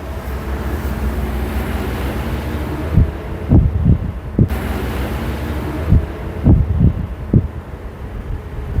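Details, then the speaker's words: Midea 7 kg top-load washer MTE70GP after main control board replaced with a Super General board, draining after wash cycle; low steady pump hum with water rushing out and soft sloshing, draining normally. "can see, dear friends, it is draining already water."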